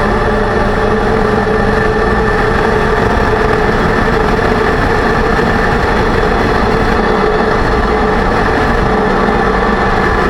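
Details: 2006 Range Rover Sport differential after rebuild with all new bearings and races (done for bad vibration and howling), driving; steady mid-pitched hum over road rumble, still loud; owner suspects pinion preload too high, set at 35 in-lbs instead of maybe 20.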